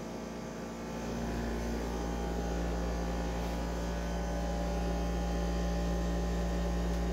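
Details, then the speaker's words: Dehumidifier, not an AC unit, with a quiet fan and very loud pump: deep steady low rumble and constant hum carrying through the floor; cause suspected, not confirmed. "Instead, it's really loud. And it's rumbling the whole floor."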